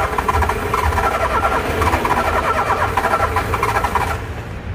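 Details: Car engine being started with the key held, making a "tec tec" noise: a quick run of uneven clicks, roughly two or three a second, and the engine never catches. The starter clicks and the car does not start.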